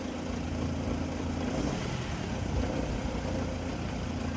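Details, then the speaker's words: 2010 Nissan Rogue at a police auction, started right up with a jump, in rain: quiet, smooth idle with an even low hum, no ticks or knocks; engine sounds healthy, normal idle. "$85 on the key fee on the Nissan. She started right up with a jump."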